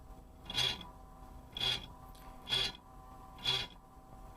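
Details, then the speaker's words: Dell Optiplex 745 USFF computer, rear Sunon fan; a high, scratchy rasp repeats about once a second as the fan struggles to turn, with dry, worn bearings; front fan fine. "But this Sunon fan in the back of here is just, it's done. Fan in the front though, that one works fine. Oh my god, that sounds horrible."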